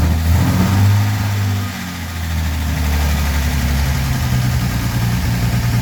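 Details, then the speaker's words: Armstrong Siddeley Star Sapphire-engined sprint special, first run in probably over 40 years, on choke: firm, even idle settling after a light blip, no misses, knocks or hunting; running remarkably sweet. "That sounds remarkably sweet."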